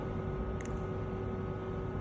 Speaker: Okey ni lagi satu contoh injector yang ada problem. Dengar bunyi dia baik-baik. Ni on dan off. Dengar off dia ada dua klik.